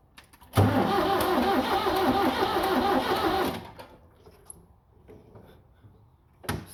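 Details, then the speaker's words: 7610 diesel tractor cranks evenly about three and a half beats a second for three seconds, never fires; fuel seen at lift pump, jump pack on battery; owner unsure of cause, considering ether. "okay it is not happy with me guys"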